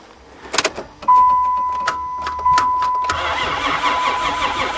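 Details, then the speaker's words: Caravan van engine after several hours of unseizing work and welded oil pan, battery on board: steady chime as starter spins the engine evenly with no binding or catching; cranks freely but does not fire. "he's a cranker sounds like we got great potential"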